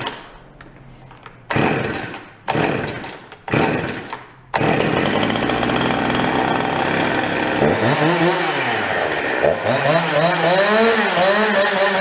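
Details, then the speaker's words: Husqvarna 353 chainsaw, cheap barely-running saw after repair: crisp throttle blips, quick trigger response, steady high rev with clean pickup, nice idle that doesn't die, chain brake stops immediately; running healthy. "Sounds good, the brake works, stops immediately. It's got a nice idle to it, doesn't try to die."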